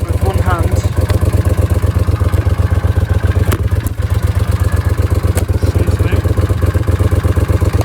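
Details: Honda CX500 twin idling with deep, even exhaust pulses about four per second, a steady beat and no knocks or misses; battery charging measured at 14.2 volts; a healthy, settled idle.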